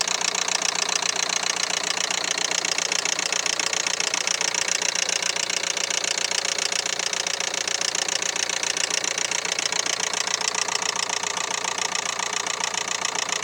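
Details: 2011 Renault Megane 3 with K9K 834 1.5 dCi diesel idling with a steady sharp clatter of about 220 knocks a minute; timing belt jumped one tooth.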